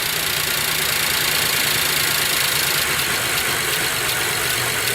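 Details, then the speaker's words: Chevrolet Traverse/GMC Acadia/Buick Enclave idling after an iridium spark plug change with the mass airflow sensor unplugged, smoking from oil drained into the cylinder head; uneven, lumpy idle under a loud hiss, irregular beats about four a second; rough idle, cause unclear. "but there's the smoke and I got to tell you I'm not liking the it's idling awfully rough"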